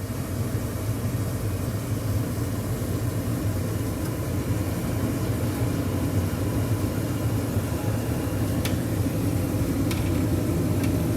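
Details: AIDBAY 23 kW natural gas tankless water heater mounted on rubber-padded plate to dampen vibration: steady, even low hum with no rattle or buzzing from the wall; blower running smoothly and quietly.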